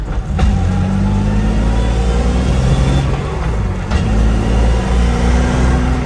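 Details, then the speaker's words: Lexus GS300 with JZ engine converted to manual via adapter-plate CD009 swap, cheap fluid, not fully warm, driving: steady low drone with thin whine following road speed; noisy transmission, attributed to adapter plate and cheap fluid. "you can hear the fucking trans is pretty fucking noisy."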